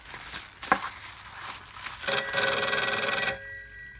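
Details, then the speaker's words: Western Electric 302 telephone ringing from a PBX via a makeshift taped bare-wire connection; as the wrapping is undone the bell rings in bursts that cut out momentarily, intermittent ringer from loose wiring before fitting spade lugs and a connection block. "So you can hear the connection went out for a split second there. And it stopped again there."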